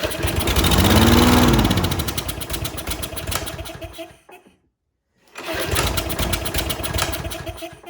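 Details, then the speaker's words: Troy-Bilt 21-inch self-propelled lawn mower that sat outside, choke on: engine fires and surges, dies and restarts, running ragged; compression confirmed good, carburetor problem suspected, carburetor looks dirty. "Oh, we definitely have some compression in the engine. That's good. So I suspect something carburetor related."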